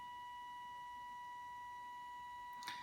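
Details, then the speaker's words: Arduino with L298 driver feeding PWM value 100 (of 255) to robot's inefficient DC motors, too low to overcome static friction, so motors stay stalled; steady high pure whine is PWM voltage pulsing in motor coils; raising to 150 starts them. "You might be able to hear an annoying whine. Now that whine is the sound of the pulse width modulation and the voltage pulsing in the coils of the DC motors very quickly."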